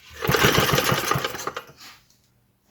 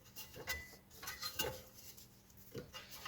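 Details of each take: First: 1948 Johnson Iron Horse small four-stroke utility engine, carburetor bowl filled, no choke yet: about five quick, even compression puffs a second for just over a second, then dies away without catching; cranks but won't start. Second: 1948 Johnson Iron Horse small 4-stroke utility engine, started with carburetor bowl filled and choke on: after handling noises it catches and settles into a fast, regular popping beat about four per second, running steadily.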